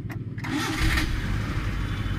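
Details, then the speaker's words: Maruti Suzuki Eeco, first morning start with the ignition key: brief false clicks and hesitation before the starter catches and the engine fires. The starter engages only intermittently, blamed on a burnt solenoid magnet coil. "এটা দেখেন এই হচ্ছে এর problem. দেখেন মাঝে মধ্যে নিচ্ছে মাঝে মধ্যে নিচ্ছে না।"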